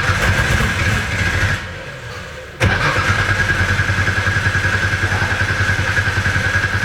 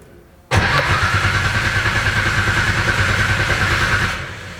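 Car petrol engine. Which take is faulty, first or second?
second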